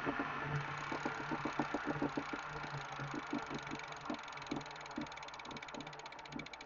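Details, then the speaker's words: Elite Direto XR trainer after under 5,000 km of use, rubber shreds from the belt found: quick irregular knocks with a faint rough grind under pedaling, louder when riding harder; owner suspects the idler pulley or belt wear. "so that's the sound coming from somewhere back here it usually gets louder when I ride a little bit harder I'm not sure if the sounds coming from uh this idler pulley"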